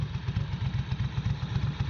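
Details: 1992 Ducati 750SS V-twin (25 years old) idling after a plug change and an earlier no-start was traced to a dirty battery earth point on the frame; lumpy but regular thump, even pulses, no misses or knocks: normal idle.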